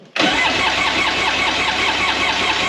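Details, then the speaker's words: 2001 Polaris Virage 700 jet ski two-stroke, first start after fresh fuel and premix poured into cylinders: fires and settles into a ragged, lumpy, stumbling idle; compression test later found one cylinder with almost no compression. "this cylinder right here has amazing compression that's awesome but this one doesn't this one has like no compression so we have a dead cylinder"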